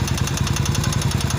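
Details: Italika Vento 250 motorcycle engine (same engine as the Revelia), brought in with a noise and a seized engine, idling with a deep regular knock on each beat; mechanic first suspected the timing chain or tensioner, teardown found a damaged crankshaft/connecting rod bearing.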